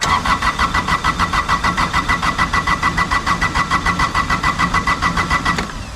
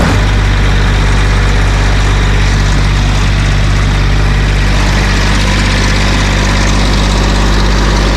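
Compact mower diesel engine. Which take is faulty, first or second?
first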